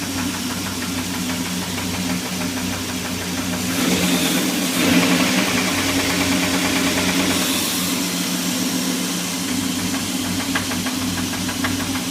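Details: SRT10 engine at idle: an uneven ticking knock about three times a second over a steady idle, rising briefly with a throttle blip; internal engine knock.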